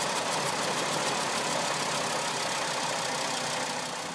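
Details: 2005 VW Jetta MK V at 146,690 km (91,148 miles) with an engine malfunction code: rough, loud, hissy idle with an uneven stumble about three times a second; misfire at idle, cause unconfirmed.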